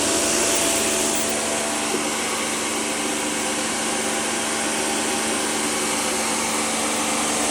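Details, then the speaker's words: Karcher pressure washer after repairing a leak with a replacement component: steady, even motor-pump rush with constant hiss, no surging or stumbling; full pressure restored, normal running. "now it's got full power it sort of hovers around like it's supposed to so that's a win and sorted"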